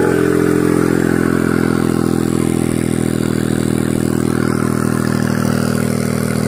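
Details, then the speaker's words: Kancil with AV turbo, cold start to check whether turbo still rattles; oil seen on a hose, possible leak. Engine fires and settles to steady busy idle, no turbo rattle or whistle; normal turbo at idle. "Ni tebu AV tebu AV. Kita start dulu, tengok berasak lagi ke tak."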